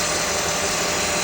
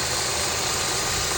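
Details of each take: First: Honda K24 engine in a 3rd-gen CR-V just after serpentine belt replacement: steady, even idle hum with no squeak or chirp from the belt, smoother than before. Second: 3rd-gen Honda CR-V with K24 engine, which squeaks when accelerating: at idle after the old serpentine belt and tensioner are sprayed, there is no chirp; the worn belt is blamed, not the pulley or tensioner.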